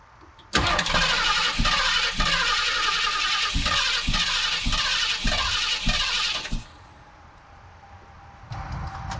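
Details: 1976 Ford Ranchero 500, 351 Modified 400, said to be fitted with an electric fuel pump: brief crank, then it catches and runs with a steady, even roar for about six seconds before shutting off. Blew oil out but has oil pressure; normal start and run.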